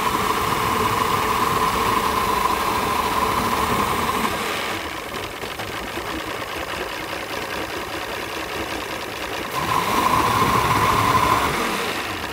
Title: Mariner 200 EFI rough idle 2